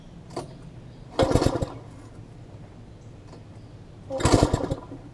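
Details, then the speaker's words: MTD front-tine tiller that sat long, water cleared from carb, different spark plug fitted, plug getting wet: two pull-start tries each giving brief sharp pops that die away; fires but won't run, flywheel key next to check. "I mean it's still it's still hitting like it wants to fire I'm not the time and all for what but I'll keep looking at"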